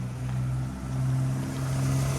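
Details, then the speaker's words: Cheap 1997 Toyota Camry, owner reported a small oil leak: smooth, quiet, even idle with a steady low hum, no knocks, ticks or misses, runs well. "the whole point to buying this car was it was cheap and you know for the money that we paid for it you really can't go wrong as you can hear it runs"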